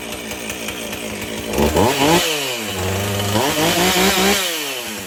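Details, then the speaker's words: Husqvarna 450 two-stroke chainsaw after rebuild and swap to a Hipa spark plug: crisp idle rising cleanly into two quick full-throttle revs, dropping back without stumbling; healthy. "w that sounds a lot better so I'm not sure how long the hip of plug will last with I'm try it"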